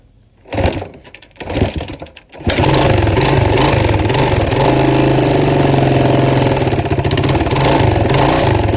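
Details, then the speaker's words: Free four-wheeler cranks, catches and idles with a heavy, rhythmic knock; suspected very bad rod knock, not confirmed, yet it still runs. "has the worst rod knock you guys have ever seen in a four-wheeler it's bad but it still runs"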